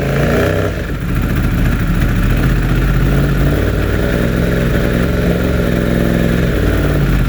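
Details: 2016 Yamaha R1 after mild lowside crash: deep idle with uneven stumbling beat, constant misfire on cylinder 4; swapping coils with cylinder 1 did not change it.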